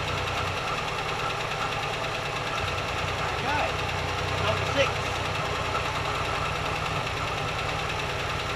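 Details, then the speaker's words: Warm Holden six idling with plug leads pulled one at a time, speed drops checked around 1120–1170 rpm; slightly lumpy, uneven beat under steady clatter, one cylinder weak; bottom-end fault suspected: holed piston, broken rings or split piston, unconfirmed without compression test. "diagnoses 90% complete uh without a compression test uh I don't know exactly what the problem is with the bottom end could be a hole in the Piston could be uh broken Rings"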